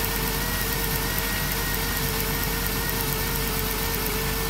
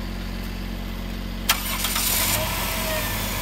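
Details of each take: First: 2007 Dodge Grand Caravan V6 at idle: steady idle with slightly uneven stumbling beat; misfire caused by damaged spark plug wire boot arcing, found with timing light after suspecting the coil pack; wires to be replaced. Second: 2007 Dodge Grand Caravan after replacing a broken number two spark plug wire that caused a rough idle and miss: quick crank, clean catch, steady even idle, no longer dieseling; normal start and idle.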